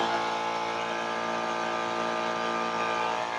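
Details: 12V DC high-pressure pump running under load during a noise test: a steady even buzzing hum at constant pitch with no knocks or rattles. It runs normally.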